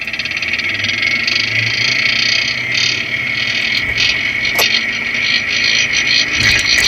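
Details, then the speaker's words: Nissan Titan truck while driving, with microphones on each front wheel bearing and the front differential: a steady high-pitched whirring whine with grinding on the differential mic; the suspected wheel bearing noise is actually the front differential. "doesn't sound good. No, it doesn't. Maybe it's a differential."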